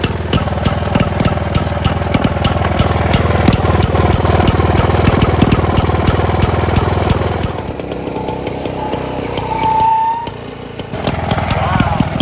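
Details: 1922 Neracar motorcycle, 200cc single-cylinder, running after kick-start: fires in a steady, even beat of about three per second, no misses or knocks; normal running.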